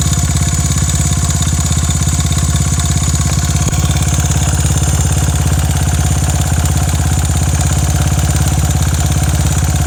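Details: Honda Ape 82 engine idling: a steady single-cylinder idle at a fast, even beat with a rattly, ticking edge on top. Abnormal engine noise; owner is unsure whether it is normal, cause unclear.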